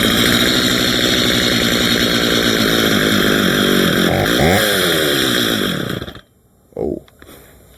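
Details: Stihl MS230 chainsaw with aftermarket parts, previously dropped, during tune-up test cut: revs hard then sags, wavers and dies; stalling likely from briefly having no fuel in it.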